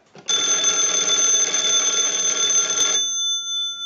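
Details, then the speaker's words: Wood wall 317A telephone after repair and conversion, final checkout: analyzer sends a ring cycle like an incoming call; bright, even bell clatter rings steadily about three seconds then rings out cleanly, ringer working properly. "now what we want to do is use the analyzer and send a ring cycle like you are getting a call so we'll start that"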